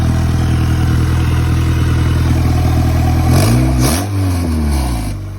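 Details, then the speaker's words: Turbocharged Honda Accord build on first start, with oil feeding back and the turbo spinning: even idle rumble, then a clean rev blip climbing and falling back smoothly, no clatter or misfire; exactly how it should sound. "yep that is exactly what it needs to sound like"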